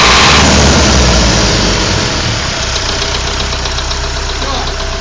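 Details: Warm engine at idle after restart: sharp, regular tapping knock about four per second riding over the engine; engine knock, cause not found.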